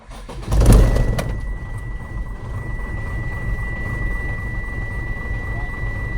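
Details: Mitsubishi Fuso Fighter 6D15 diesel started after fitting a new part for a blockage that kept the air gauge from rising: starter crank, then a steady low rumble and even idle; a clean start.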